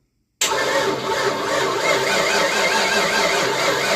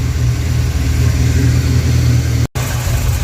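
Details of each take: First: 1988 Ford Mustang GT, sitting since 1999, MSD ignition powered but not sparking the coil, distributor possibly disconnected; steady fast starter churning about four and a half seconds with no firing: cranks, no spark. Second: 1988 Ford Mustang GT V8, first run since 1999, after tightening several very loose rocker arms: deep steady rumble with no ticking or knocking, before timing is set; rocker rattle fixed, healthy running.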